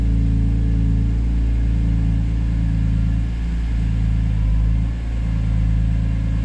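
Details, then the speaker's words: BMW S54, first start after the dual section 1 resonator delete mod, engine lukewarm, recorded from about 20 feet away: deep, smooth idle rumble with gentle blips and no rasp or drone; quieter, normal exhaust note. "call me crazy but i think it's a lot quieter and i'm into it"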